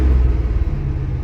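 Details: One-owner 1979 Chevrolet Scottsdale 4x4, carbureted V8, engaging the clutch and starting to drive: deep, steady rumble stuck at a raised idle that never drops back, because the choke isn't coming off.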